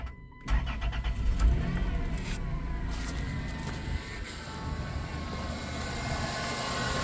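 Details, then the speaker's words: 2000 Chrysler Grand Voyager parked 8+ years, restarted after rerouting a hose, power steering reservoir found sucked dry: cranks briefly, catches and settles into a steady even idle with no belt rubbing or chirping; normal idle. "Yeah, that sounds better. There we go."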